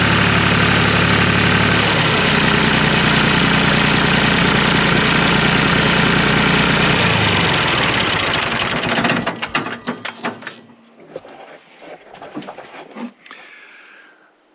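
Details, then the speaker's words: 1974 John Deere 350B bulldozer diesel after removing clogged fuel return check valve that stopped excess injector fuel returning to tank and caused dying: steady even clatter at idle without sagging, then clean shutdown; fixed, normal idle. "okay guys that was pretty amazing that was a great little fix for why this thing was dying"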